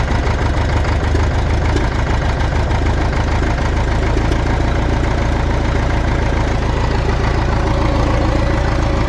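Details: Cat D4 dozer diesel after cleaning holes, injector fuel leak present: deep steady idle chug with even beat, no clear miss or knock.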